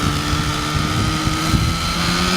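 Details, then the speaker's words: OS 105HZ-R glow engine in an RC helicopter during break-in, needles set rich: steady high buzz with uneven, burbling low end and slight misses; running rich and safe, but it lacks power. "so at the moment this should be rich running works let's let's see how it goes so rich engine you can't harm it"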